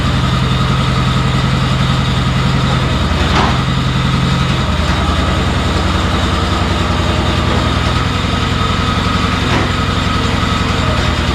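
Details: Honda RT5000 garden tractor on a test drive after brake work: the engine chugs steadily with no squeal or squeak; the brakes that were sticking and squeaking now run quiet.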